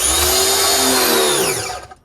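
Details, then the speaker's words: Wholesun WS 3000 1600W 1.58GPM electric pressure washer, first start with water and power connected: motor whines up for about a second and a half then stops once the hose line pressurizes; normal start-up. "There we go. It starts up like that a little bit, just so it pressurizes the whole line of water."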